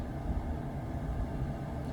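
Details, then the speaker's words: Old truck camper propane furnace after fix (previously blew only lukewarm air), just ignited with possible air in line; steady even low roar of burner and blower, no pulsing or rattles, flame going, air warming: normal operation. "I hear it ignite you can hear the flame going it's already feeling a little warmer than"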